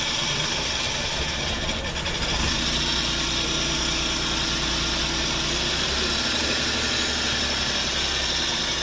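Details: Suzuki DA64V after a crank-no-start fix: steady, even idle with a light background rattle and no misfire or knocking. Engine sounds healthy.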